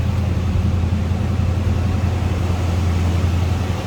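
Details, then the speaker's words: 1978 Chevrolet Camaro 305 V8, odometer 83,784 miles (unverified), just after cold start: deep, smooth, even rumble held at raised high idle while warming; no ticks or knocks, normal cold fast idle. "That was a cold start, so we may be on high idle for just a little bit."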